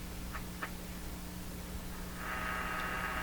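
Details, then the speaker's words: 1940s Canadian Red Cross tube radio after capacitor replacement, loop antenna in basement shop: steady low hum, then a hissy buzz swells in and holds; passing external interference picked up. "we've got 100 vol on it it sound better it does although that interference just went by"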